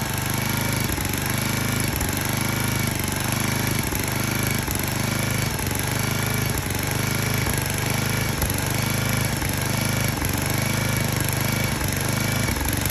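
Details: 34-ton log splitter's small engine, running after fuel line blown clear and brake cleaner used to start it: steady low drone with a regular thump about once a second, running on its own without stalling; normal running.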